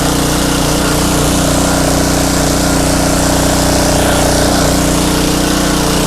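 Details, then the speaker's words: Pressure washer small engine, in a Craftsman 5.5hp Briggs & Stratton Intek 190 revival, warmed up after running about 10 minutes: steady, even single-cylinder drone at constant speed with no stumbles, knocks or rattles. Running healthy. "Well, this is turning out to be a good one. So after I shut that one off, I let that one run for, I don't know, maybe 10 minutes."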